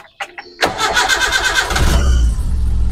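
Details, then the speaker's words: Espass 1600cc car on CNG after fitting a low-pressure regulator with a two-line mixer feed for idle and mid-to-high rpm: a few clicks, then prolonged starter cranking before the engine catches and settles; long crank before starting. "walaupun agak panjang starternya tapi nyala teman-teman ya."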